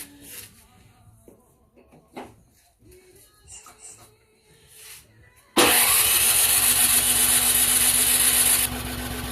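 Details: Cub Cadet 2X Powermore 357cc 28-inch machine, electric start: loud steady starter whir and churning that never catches. Cause found to be bad gas; fixed by cleaning the carburetor and changing the spark plug.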